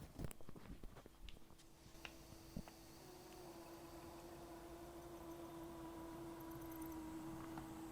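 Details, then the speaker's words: Accurascale Class 60 model locomotive after oiling and a 20-minute run-in: faint steady low hum, no squeak or chatter; almost silent, expected to improve further with more running in. "It is almost silent now. Still a little bit more work to do running, and I'd say as it runs on in the future it should get better, but I think that's it."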